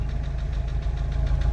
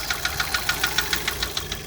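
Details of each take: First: MK5 VW Jetta GLI 2.0 FSI parts car that sat 3 years, running after a cylinder head replacement for a seized cam journal: steady smooth idle with light fast injector ticking and no bottom-end knock; rocker cover not fully bolted down. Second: VW MK5 Jetta GLI FSI, replacement cylinder head after seized cam journal, first run after sitting three years: sharp even light ticking over a soft idle, no bottom-end knock; loosely bolted rocker cover rattling plus injector tick.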